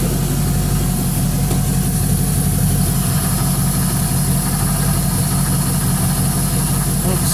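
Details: LS-swapped 1967 Chevy Bel Air after water pump replacement and coolant refill, just started and warming up toward thermostat opening: deep, steady V8 idle with an even beat and no knocks, misses or squeals; checking for leaks.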